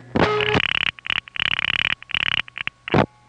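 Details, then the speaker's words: Normal revertive pulsing on a Bell System No. 1 crossbar office (NEptune 4, Belle Harbor, Queens), taped May 1974 from a home phone: quick bursts of sharp clicks in steady rhythm; pulsing to No. 5 crossbar is generally faster. "revert of pulsing to number five crossbar generally is faster than revert of falling to number one crossbar"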